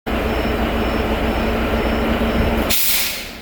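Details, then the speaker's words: Heavy-duty truck's diesel runs steadily, then the new pop-off valve/air dryer (replaced because it was snorting every 10-15 seconds) purges with a sharp air blast that trails off at cut-out; no moisture blown from tanks, normal purge. "If there's any moisture in the tanks, it'll blow out. Oh, no moisture."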